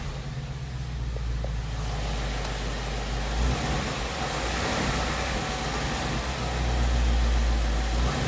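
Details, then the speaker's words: 2017 Ford Mustang GT 5.0 V8 at about 10,476 miles: V8 rumble with a faint regular knock on the firing beat, heard between 1000 and 1500 rpm. It began as a light tick around 7.5k miles. Ford calls it normal and the owner disputes this; cause not found. "All this knocking comes from between like 1000 RPM to 1500 RPM. So I don't know. The Ford they say because it's something normal, which it isn't."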